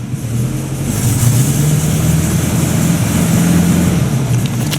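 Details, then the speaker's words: 1950 Buick Roadmaster after conversion from positive to negative ground: engine revved with the gas pedal pulls up smoothly with a low even drone, no knocks or misses; owner considers the issue solved. "all right that's enough playing around with the gas pedal i think we've uh solved that"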